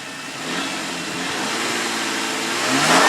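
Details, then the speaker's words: 2004 Nissan Quest parts vehicle with a light front-end hit, no damage near the engine. Engine revs up smoothly with a clean rising pitch, no knocks or misses; strong, normal revving. "Motor sounds strong. Nice and smooth. Engine sounds great."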